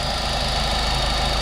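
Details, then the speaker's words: 2013 Mazda MX-5 Miata just after Kraftwerks supercharger kit install, warming up on a lift with fluids added, fuel pump not yet replaced; even idle with faint steady whine, no misses or knocks, running good; one traction-control code. "Got the whole kit installed. Letting it warm up right now."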